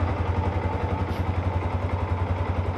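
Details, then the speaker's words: Yamaha R15, about 10 years old, rarely used, engine never opened, running after an oil change following 5 years without one (only about 100 cc old oil left): smooth, even single-cylinder idle thump, no ticking or rattle; normal idle. "sedikit lebih terasa lebih halus suaranya dan tidak ada tarikannya lebih enteng karena olinya beli baru, tarikan enteng."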